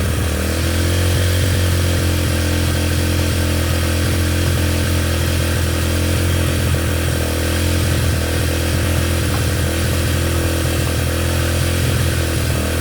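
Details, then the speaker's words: Yamaha TTR125 just restored, first run after reassembly, started with brake cleaner: the single runs loud and slightly uneven at a fast idle with a rattly edge; running rough, cause not yet found. "hey so as you saw yesterday the little ttr runs it kind of ran rough but i ran nonetheless"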